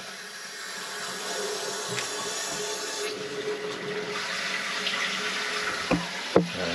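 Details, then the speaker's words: Toilet tank refilling after fitting a new Fluidmaster Universal Performax fill valve, replacing a valve that kept running: steady rushing water, even flow with no hammering, chatter or squeal; normal refill. "i'm going to go ahead and turn on the valve now and we're going to hear the toilet start to fill up"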